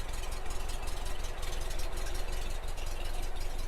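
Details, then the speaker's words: 1964 Porsche 356 SC air-cooled engine at idle: a steady low rumble with an even beat and no misses, knocks or hunting. Idles smoothly. "You can hear it idles very nicely."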